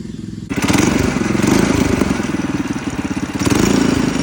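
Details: Coleman CC100X mini bike, brand new 212cc Hemi engine with governor and oil sensor removed, torque converter installed: catches and settles into a fast, even putt, loud exhaust, no misses, knocks or rattles. Normal running.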